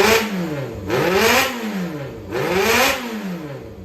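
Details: Yamaha XJR400 (4HM) engine assembly, early type, compression tested: two quick revs climbing and falling evenly back to smooth idle, no clatter, misfire or white smoke; healthy motor.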